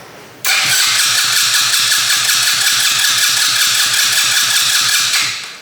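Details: 125cc fuel-injected turbo go-kart engine, first start attempts with ignition trigger offset and timing being adjusted, fuel pump primed: starter whirs with quick even compression pulses, about six a second, never fires; crank, no start.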